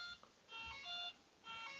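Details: RC propeller warbird with an LED exhaust-flame setup, ESC disconnected from the radio: repeating groups of high, clear beeps with short gaps. This is the speed controller alarm because the motor is unplugged.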